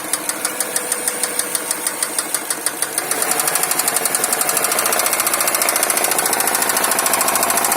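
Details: Subaru Forester EJ205 engine: sharp regular metallic knock about three per second at idle, quickening and running together as revs rise, engine knock.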